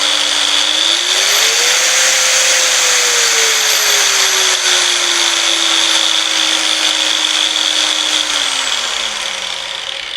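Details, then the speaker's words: Angle grinder with internal potentiometer speed-control unit: motor whine climbs as the dial is turned up from minimum, holds steady, then winds down; speed control working normally. "හරි. දැක්කම speed එක control වෙන විදිහ."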